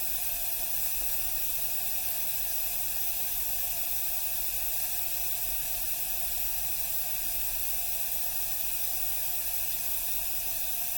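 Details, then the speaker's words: Refurbished 1982 La Pavoni Professional espresso machine, first power-up, pressure down to about 0.75–0.8 bar as the pressurestat should kick back on: steady, even hiss of steam venting, no sputter or gurgle; normal pressure release. "I'm still hearing pressure off the release it's down about 75 right now"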